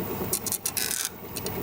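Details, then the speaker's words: Wood lathe turning sycamore: dry rasping rub bursts over the motor hum as the spindle shifts; loose headstock handle, a recurring fault. "just want to round it over a little bit more than it is you can hear my spindle making noise again"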